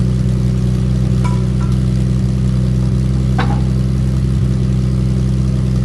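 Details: Triumph TR6 with a new stainless back box (40 mm perforated core, fiberglass matting, 40 mm tail pieces): deep, steady, even burble with a smooth low drone and no rattles or blowing. Healthy, tight exhaust.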